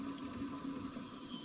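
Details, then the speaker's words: Old Craftsman indirect-drive 120V wood lathe, spindle spun by hand with a quiet, even whir and no clicks; bearing is healthy, earlier ratcheting sound traced to the spring-loaded motor lock pin. "Bearing sounds good, but there was a ratcheting sound."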